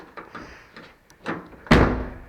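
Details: Driver door of a 1982–92 third-gen Firebird/Camaro being checked for sagging hinge bushings: light handling sounds, then one solid, clean thunk as the door latches with no rattle or scrape; the hinge is good.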